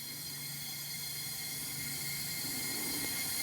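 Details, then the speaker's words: 2000 Jeep Grand Cherokee WJ, 4.0 L straight-six, 186k miles, overheated, leak-down test with air in the cylinder, listening at the coolant tank: steady high airy hiss; cylinder air leaking into coolant through a blown head gasket, possibly a cracked cylinder. "So I hear hissing, and you probably won't hear it from your point of view, but listening into here, I can hear air. Down here, I think in the coolant tank we'll probably hear something."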